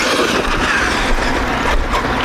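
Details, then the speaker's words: Traxxas X-Maxx RC truck re-geared to 20/50, running after earlier attempts shredded the spur and pinion teeth: smooth, fast, steady drive whir under throttle with no clicking, skipping or grinding; gears now meshed properly and sounding healthy. "making a really bad sound the first time and I didn't catch it but this time it sounds sounds healthy it's fast it's fast too"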